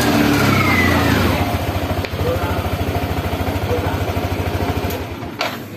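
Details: Yamaha NMAX scooter after CVT maintenance (pulley bearing still good, CVT cover and filter refitted, filter dirty): fires up, settles into steady even beat with light throttle blips; runs normally.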